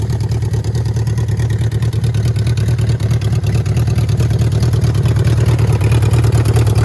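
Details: 1979 Yamaha XS1100 bobber four-cylinder with titanium-wrapped shorty two-into-one exhausts, first start after build: fires and settles into a deep, even exhaust beat around two pulses a second, revving cleanly with no misses; normal running.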